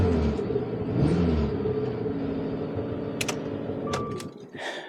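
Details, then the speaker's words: Salvage auction car with undercarriage damage, earlier sounding like no compression, now restarted: engine picks up and settles back smoothly with even note, no knock, miss or rattle; runs well. "so it's hard to say for sure she runs well now that she's running"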